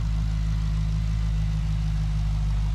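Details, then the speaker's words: Holden VE SS Ute V8 with cam, after a mild slow rev while warming up: deep even burble settling with steady rhythm, no knocks, misses or lifter tick; normal idle. "Sounds good as we could have hoped for."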